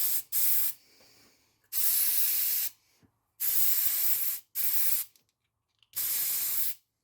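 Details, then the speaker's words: Chevy Equinox with a misfire, after a compression test and an injector replacement that changed nothing, on a cylinder leak-down test at 80% leakage: sharp air hiss in on-off bursts, heard at the intake plenum as the hose connects. The hiss is faint at the oil fill, so the intake valves are likely leaking. "okay we got air in the cylinder we got 80 percent leakage on our gauge okay and if I put my eardrum to listen here on the intake plenum and then I disconnect the hose there stops if I reconnect it I immediately hear it"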